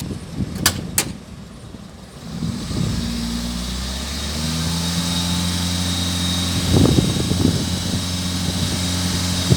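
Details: Toyota Etios: steady idle with a low even hum, interrupted by irregular rattly bursts; abnormal engine noise, cause not yet clear.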